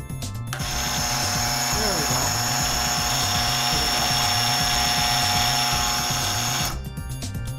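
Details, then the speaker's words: Multi-speed furnace or washer blower motor, bench-wired to run on its combined windings, whirs with a rough, hissing sound and steady whining tones; its bearings are shot. "So as you can see, it was running, it worked. That sound is just the bearings are shot. I need to get new bearings, but or whatever."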